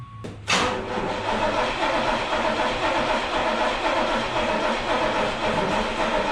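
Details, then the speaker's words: Truck with swapped carbureted 1974 Chevy 305 V8 (Edelbrock intake, shorty headers, true dual exhaust), started cold: brief crank, catches, then uneven lumpy rumble with hissy exhaust; rough cold idle, likely carburetor-related. "I love carburetors in the cold. As disgusting as it sounds, I honestly love the sound of true duals on a V8, so I kind of like it."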